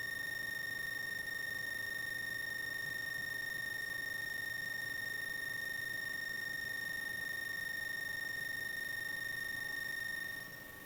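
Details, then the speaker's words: Bakon BK601S Pro soldering station during power tests on a large copper square, tip temperature matched: a steady piercing high-pitched chirp sounds continuously in the background, an electronic whine from the station itself. "In the background, you will hear the chirping noise produced by the backon station."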